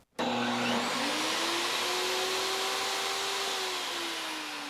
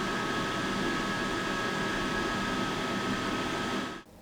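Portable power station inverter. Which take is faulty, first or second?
first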